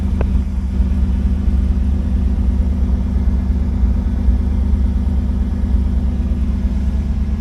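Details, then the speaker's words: Chevrolet El Camino with 5-speed, warming up after cold start: deep steady V8 rumble at even idle, regular pulses, no miss or tick; fired right up, better than last attempt; normal idle. "So everything sounds good. Fired right up, sounds good. A lot better than last time I tried to start it."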